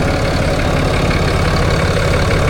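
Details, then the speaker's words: 2024 Ram 4500 diesel hotshot truck after Banks Monster Ram intake install, fuel filter change and retightening leaking banjo bolt; steady even diesel clatter at idle, smooth low rumble, no knocks or misses; sounds better than before. "it sounds like it's running better. That's kind of crazy."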